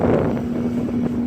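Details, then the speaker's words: Old Sharp Comfort Touch 8,500 BTU window air conditioner with its fan on high: a loud steady hum with airy rushing; the owner uses medium because it is quieter; the cause of the loudness is not confirmed. "hi it makes it over a loud humming sounds on high alright here we go"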